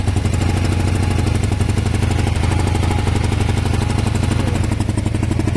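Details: Kawasaki ER500 twin with white smoke at idle: stumbling, uneven beat with skipped firing pulses, misfiring on one side; owner suspects a broken head gasket, unconfirmed.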